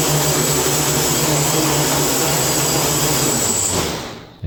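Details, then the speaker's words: Quadcopter on a PID tuning stand, INAV, after pitch P was lowered from 25 toward 9: steady even motor hum at one pitch with no surging until shut-off; the motors hold a stable hover without overcorrecting. "so you see when I fire this up the pop start turning it no longer when when when women you can hear the motors are not trying to overcorrect"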